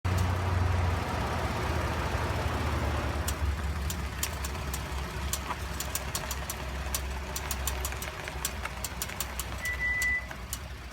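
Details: Sharp, uneven clicks, three or four a second, over low engine rumble while turning, from a 2013 Ford F-150 FX4 EcoBoost; front hub clicking, fixed by replacing the IWE solenoid.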